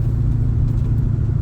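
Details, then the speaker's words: 2004 Mustang SVT Cobra four-valve V8 on its first drive in first gear after cooling system work: deep, steady, even burble under light load with no knocks, misses or rattles, healthy. "uh these four valve Motors just they have such a unique burble to them"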